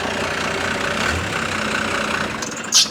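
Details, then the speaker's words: First-gen diesel idling about 400–600 rpm in gear with AC compressor on: slow labouring idle sagging almost to stall; idle set too low, to be fixed by turning up the fuel screw. "And that's with the AC compressor off, so like you can't really run the AC. That's AC compressor on? Yeah. It almost wants to kill it, so."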